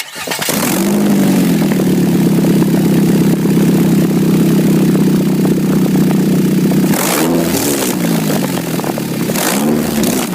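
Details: 2006 Nissan Altima: a loud, raspy, motorcycle-like bark at idle that swells with each rev, from an exhaust leak at the flex pipe before the muffler; a new exhaust is suspected to be needed.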